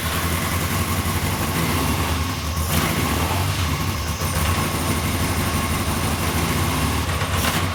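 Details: 1992 Yamaha XJ600, sat unridden since the pandemic, after carb cleaning, first start: it runs lumpy and uneven, with a wandering low beat that doesn't settle. The owner suspects the carbs are badly out of sync.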